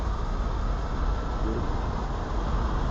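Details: 2009 Ford Taurus idling right after a new heavy-duty battery terminal fixed a no-power no-start: low, smooth, even hum with no misses or knocks; alternator charging about 14 volts, running normally.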